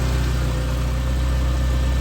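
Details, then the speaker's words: Mitsubishi Starion/Conquest G54B warmed up: a deep, steady, quiet idle rumble with no misses, knocks or hunting. The idle air control is missing, the O2 sensor is unplugged and the TPS is faulty, yet it runs well. Normal idle. "And there, once she warms up, she acts completely civilized and not bad. Not bad. She's really quiet."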